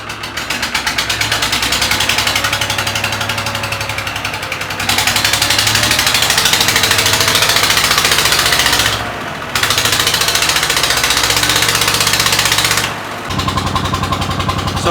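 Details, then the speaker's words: Flooded 3-cylinder Lister marine diesel, 8 liters of water pumped out, first start on temporary oil, cold; revs surge and sag, needs held throttle; air in system or water in crankcase suspected; rough running, hunting idle. "my plan is now to let it warm up a little bit because it's not happy. That's for sure. I have to give it a lot of throttle to let it work somehow. So you can hear the RPM changing and we're standing here so it's searching."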